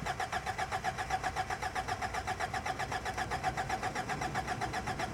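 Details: Cheap, long-sitting Toyota truck cranks steadily at about four beats a second but never fires, with 18 V jumped to the fuel pump through a 25 A fuse; a suspected stuck fuel pump, not confirmed.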